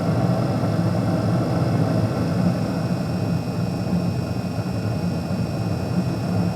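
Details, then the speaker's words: Carrier Infinity 98 modulating gas furnace, installed May 2014, all original, first startup of 2023: after the original hot surface igniter glows and ignition occurs, the inducer fan ramps up with a steady low hum and even airflow, no rattle or squeal; normal. "there goes the HSI still the original hot surface igniter Never Been Changed yet [Music] and we have [Music] ignition here the inducer fan ramping"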